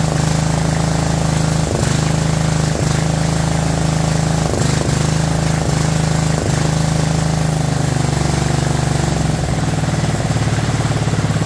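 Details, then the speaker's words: Abandoned 2004 Murray lawn tractor, Briggs 12.5 HP OHV single, first run: loud lumpy running with irregular stumbles about every second, rich on choke; seemed to miss, owner suspects coil too close to flywheel. "you saw me cleaning up the flywheel a little bit while it was running with some Scotch bright um it acted like it maybe was missing a little bit"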